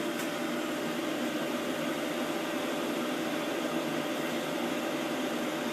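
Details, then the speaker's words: WoodGun E100 wood gasification boiler in operation mode, 400-degree stack temperature, recorded at the back by the draft fan: steady, even, quiet whoosh with no rattles, knocks or pulsing, quieter than an oil burner; normal fan operation. "i don't know if you guys can hear it humming along but it's pretty quiet could have a perfectly calm conversation and not have any sound deafening noises"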